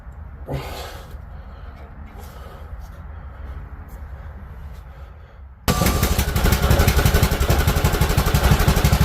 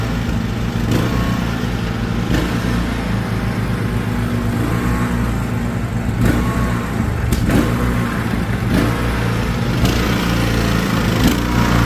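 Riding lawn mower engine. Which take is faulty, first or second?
second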